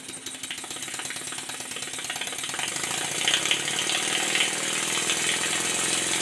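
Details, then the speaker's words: Stuart 10H steam engine on a test run, timing not yet perfect, a bit tight, crankshaft bent: fast, uneven hissing chuffs of three to four a second; slide valve out of place relative to the ports by ear, eccentric rod disconnected to reset. "I can tell by ear that the slide valve is not in the right place relative to the ports, and for that reason I disconnected the eccentric rod from the valve fork."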